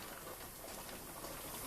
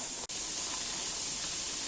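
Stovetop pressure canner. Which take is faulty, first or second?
first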